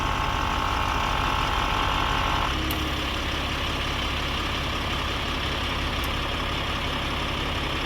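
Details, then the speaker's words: Audi Q7 idling just after replacing the air suspension compressor and valve block: steady, even, smooth compressor hum as the car rises, front going up slowly; compressor running normally. "I can hear the compressor going. Yeah, front's going up nice and slowly. So far so good."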